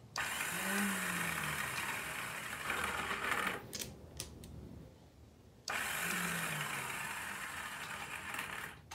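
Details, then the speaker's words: Free Kawasaki KZ750 cranking with no spark after carb cleaner: high whirring starter spins, drops out, then spins again. The starter keeps disengaging; owner suspects a bad gear on the starter clutch. "starter keeps kicking out too but [Applause] you're a bad gear on the starter clutch somewhere"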